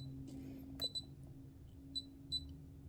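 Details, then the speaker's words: Xegis gun safe palm reader, enrolling palm with safe open after passcode: two quick high-pitched beeps over faint hum mean the palm scan wasn't read. "Oop, that beeped twice. That means it didn't read it."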